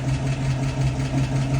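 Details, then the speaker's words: 1966 Mustang, after half-shaft bearing replacement, rear disc brake conversion and differential maintenance with fresh oil: the rear axle gives a low, smooth, even hum with no whine, vibration or squish, in drive and reverse. It is a normal, healthy axle. "more noise no more vibration everything is super nice feeling really easy no noisy no squishing"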